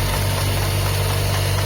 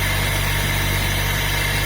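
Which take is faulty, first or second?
first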